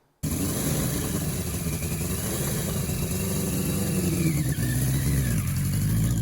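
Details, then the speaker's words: Revived 1981 Yamaha Maxim XJ650 four-cylinder, dead 20 years: steady, even exhaust beat with no misses. Owner hears all cylinders firing, good exhaust pressure and carb flow; oil change still due, charging unchecked. "as far as I know I when I'm listening to it all cylinders are firing as we're getting good exhaust pressure we're getting good uh flow through the carburetors"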